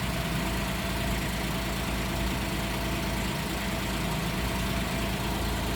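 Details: 2010 Porsche 911 Carrera S (997.2), manual, 59,000 miles, rear-quarter damaged: an even, smooth engine note holds steady for six seconds with no ticking, knocking or misfire. Normal idle, mechanically sound.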